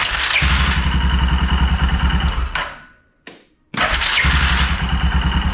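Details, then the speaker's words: 2001 Yamaha Kodiak 400 ATV, replacement starter fitted: rough uneven cranking about three beats a second with harsh clatter, dies, then cranks again; worse as it heats up. Owner suspects slipping starter one-way bearing. "See, it's struggling to start it more and more as it heats up. It's that bearing in there. I believe the bearing is slipping."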